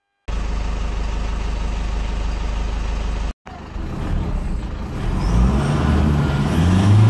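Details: 2008 Toyota Fortuner diesel, after the suction control valve fix for the crank-no-start; a scan shows the SCV working. Steady clatter, a brief cut as it is shut off, then a restart with clean rising revs; runs normally, ahead of a test drive.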